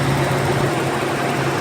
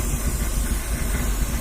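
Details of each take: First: Petrol engine in a Z car idling smoothly and steadily after repair, with no rattle or hiss; the hissing vacuum leak was fixed by fitting a missing ring. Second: Z project car, petrol engine, first start, idling: faint steady hiss over the rumble, suspected vacuum leak at a fitting; owner plans soapy-water test and worries about possible rod knock.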